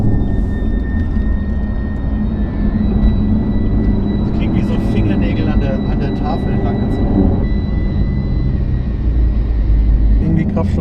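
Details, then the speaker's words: Chevrolet Camaro ZL1, rear of car while driving from about 30 km/h (also at 20 km/h): steady high whistle with fainter upper tone over road rumble, independent of revs and speed, oscillating; source not pinned down. "weil wir haben ein komisches Pfeifen hinten ab so 30 kmh und das ist recht bleich gleichbleibend vielleicht hört"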